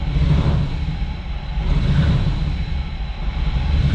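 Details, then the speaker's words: 1998 Chevy Camaro 3.8L V6 at idle: a low, shaky, uneven rumble that surges and dips from a slight misfire; a tune-up is thought to be needed. "not gonna lie not really running the greatest it's got a little bit of a misfire underneath the hood she's shaky shaky"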